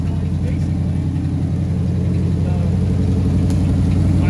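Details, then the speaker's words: V8 with 4-barrel carburetor, running after sitting 30 years in one spot, revved with throttle opening: deep, even beat climbing cleanly with no misses or stumbles; running strong, sounds good. "Actually sounds good. No, it's running strong."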